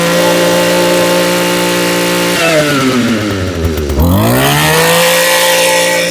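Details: Echo PE225 edger after fuel line and carburetor replacement, warmed up and at full throttle while the high-speed mixture is set by ear: high, buzzy two-stroke note holds steady, dips and climbs back clean. Normal strong running.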